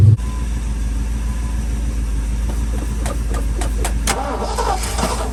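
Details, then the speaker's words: Sentimental old truck with a 205 transfer case, fuel being poured in: long, steady, even cranking drone that never catches; cranks but won't fire, owner suspects it may be out of gas. "that's it for fuel that's it [Music] ugh let's see yeah we'll pour all of it in there this has got to be it friends come on sweetheart could be out of gas too"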